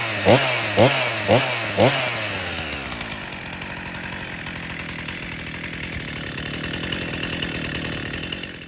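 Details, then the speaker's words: Stihl MS 361 Pro chainsaw (about 60cc) after rebuild with new piston, cylinder, rings, gaskets, rebuilt carb, fuel filter and lines, low screw up a quarter turn, no bar fitted: a few pull-cord bursts, then catches and holds a steady, even two-stroke idle; running well. "I didn't put a bar on it cuz I just want to break it in first before I use it but it runs really really well"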